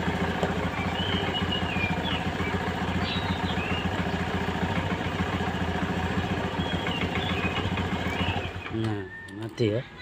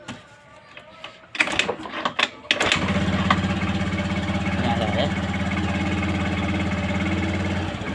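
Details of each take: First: Honda Vario 110 FI that keeps draining its battery and died on the road: steady single-cylinder putter for eight seconds, then it sputters and stalls once the battery is disconnected; points to a charging system fault, stator or wiring suspected. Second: Honda Vario 110 scooter after repair of the white stator (spul) wire to the regulator that was draining the battery: after a few taps and clatter it starts cleanly and settles into a steady, even idle, running with the battery removed.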